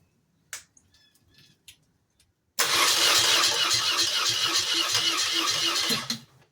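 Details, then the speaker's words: 1986 BMW R80 custom bike in very cold weather, cranked after the valve cover was refitted: the starter churns steadily about four turns a second for roughly 3.5 s but never fires; the owner suspects too little fuel and notes a leaking carburetor. "we need more gas. I did notice this carburetor is leaking a little bit of fuel. That could be part of our problem."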